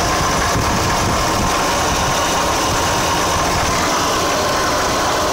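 Loud, busy rotary idle with a hissy, rattly edge over the hum; something is off, but the source can't be pinned down. Cause suspected, not confirmed.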